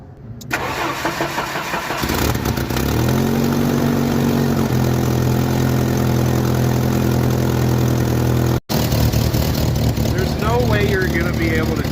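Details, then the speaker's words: 1986 Jeep Comanche 2.5L, cold start after idle-motor spacer fix: catches after a short crank and settles into a steady, even, smooth idle; idles much better now. "it idles way better now"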